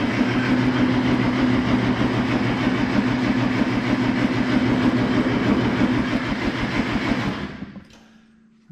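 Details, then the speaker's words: Oliver Super 44 flathead tractor cranked with carburetor run dry: steady cranking about three even beats a second, no huffing through exhaust or intake, no speed-up; compression even, stuck valve thought unlikely, moves on to spark plugs. "don't think it's a sticking valve usually when that one comes around you'll hear a huff and the cranking speeds up because there's no compression on that hole compressions or I'm sorry cranking seem pretty steady wasn't a hearing that huffing through the exhaust or the intake"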